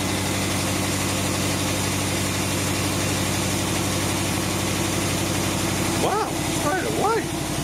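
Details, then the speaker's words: Rebuilt Willys truck, first start after 12 months idle on year-old fuel, cold 14°C workshop; starts straight away, settles to even idle with light fast ticking on top, owner notes a bit of lifter noise, unsurprised: lifter tick. "I don't know it's going to start oh straight away w we got a bit of lifter noise not surpris me"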